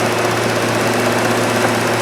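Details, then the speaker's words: 2010 Cadillac CTS idling, with oil pressure reading 340 kPa (about 50 psi), which the owner found odd. A steady idle with a faint, regular knock riding on the engine beat. The cause of the knock is not confirmed. "on écoute le moteur et on entend une sorte de cognem si on porte attention"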